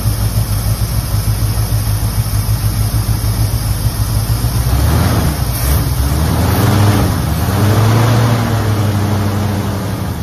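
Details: 1969 Ford, 52,000 miles, just revived after 23 years in storage: deep, slightly uneven V8 burble with a couple of smooth revs swelling and settling; still needs plug wires, burning off oil poured down the cylinders.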